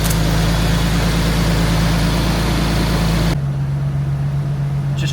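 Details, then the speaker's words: Nissan 370Z VQ37 engine first started after an engine refresh and rebuild: even, smooth idle hum that steps down slightly as the revs settle, with no ticks or misses. Normal idle. "Oh, she's alive. Beautiful. Listen to that. Sound. Wow. So sound. So clean. So"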